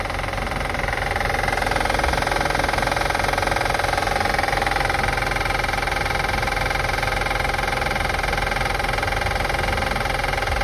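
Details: 2005 Acura TL after starting and running: even idle with steady regular click near three per second tracking engine speed; engine clicking being assessed, source not yet pinned down.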